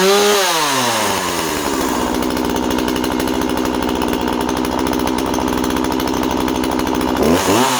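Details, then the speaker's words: Husqvarna 136 project chainsaw: starts and runs well, revs up and holds a high, buzzy, slightly flat run before dropping back. Owner thought it sounded a touch lean and considered richening the carb slightly. "so starts and runs really well. Might be a tiny bit, I thought she sounded a touch lean about 10 minutes ago."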